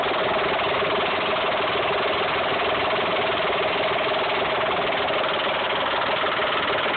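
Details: Mitsubishi 3000GT/Stealth V6 idling with a quick repetitive tick about three per second; owner suspects a lifter, spun bearing or tensioner. Source unclear.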